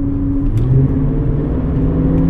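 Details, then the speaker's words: 5-litre V8 running partly on ethanol, over 186,000 km, cruising at about 1000 rpm: steady low whine over the deep rumble from the oil pump, a known recurring noisy-pump issue with this engine; the whine is suspected to be the pump. "Donc voilà, on entend la pompe à huile et plus que le moteur, plus que quoi que ce soit d'autre. Alors ça reste à un niveau raisonnable heureusement, mais on l'entend."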